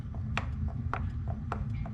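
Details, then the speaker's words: Goped Bigfoot scooter with original Zenoah G23LH engine and JetPro pipe, tires just aired up: sharp tick about every half second as the wheel spins, something catching once per turn; owner suspects backwards tire with valve stem hitting, or shot bearings. "The tire's in backwards, the valve stem sounds like it's hitting. Or the bearings are shot."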